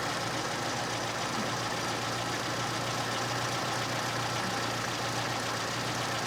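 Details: Small engine with big carburetor, warmed up, idle mixture adjusted with screw on gas analyzer aiming around 13.8–13.9: smooth even idle, steady low hum, no misses, hunting or knocks; normal idle.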